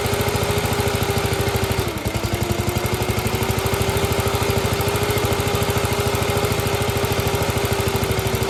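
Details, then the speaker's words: Gravely, old single-cylinder engine with governor, just after fitting a new carburetor float: steady thump about three beats a second, even tone, no misses or surging; runs cleanly. "Sounds good. Here we go. Yeah. Oh, don't stall it."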